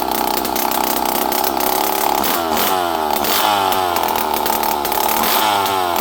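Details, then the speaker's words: Poulan 5200 chainsaw, run again after 5-6 years, buzzes steadily and revs up and down cleanly several times with crisp throttle response; starts and runs good. "I know you guys like hearing this stuff run. So do I. This thing runs good, though. It starts good."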